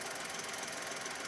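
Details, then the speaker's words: 2008 Skoda Fabia 1.2 petrol, bought cheap in Denmark, heard from the engine bay at idle: fast, even metallic tapping over a thin clattery hum. Owner thinks it probably needs oil and says it's taking a lot. Cause unconfirmed. "Probably needs some oil. It sounds like it needs oil."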